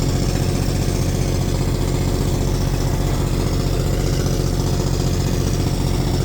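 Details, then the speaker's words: Sugar beet harvest tractor diesel that sputters and spits; fuel filters have had to be changed regularly and additive is used; loud, uneven, stumbling beat like a one-cylinder misfire; a failing injector is suspected, not confirmed. "well I think an injector's going out now so we might have to switch out the defoliator tractor with the beat digging tractor tomorrow"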